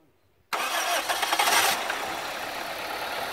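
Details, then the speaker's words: Toyota 1ZZ-FE engine during solvent decoking, with solvent poured into the cylinders through the plug holes, then restarted at idle with light throttle. It catches, then runs unevenly and stumbles, revs sagging as if about to stall, because the solvent is upsetting combustion. "n'aime pas trop ce qu'on a versé dans les cylindres, il essaie de caler, sape, il ne survivra à rien."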